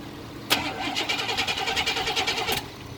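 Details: 1999 Chevy Tahoe: starter spins the engine at an even quick pulse for about two seconds then stops without catching; cranks but won't start.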